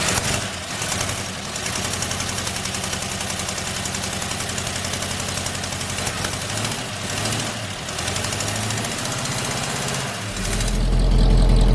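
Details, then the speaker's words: 1976 Chevy K30 dually tow truck, first start after sitting over 2 years in a barn, idle then revved: fast regular ticking about four a second from an exhaust manifold leak at the flange joint, not the headers. "A leak on the exhaust manifold somewhere. Tap, tap, tap, tap, tap, tap, tap. And it does sound like it's right here somewhere."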